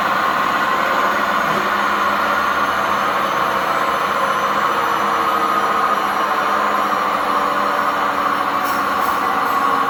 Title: Time to upgrade;This old model making noise when spinning,poor suspensions,worn-out bearings